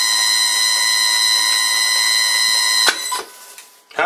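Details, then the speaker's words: Old lathe motor driven by cheap Chinese NFLixin NF-9000 VFD: loud steady high-pitched whine with stacked siren-like tones, then cuts out; drive switching noise. "like that sound according to one viewer it gave him ear cancer and another guy called it a tornado warning siren"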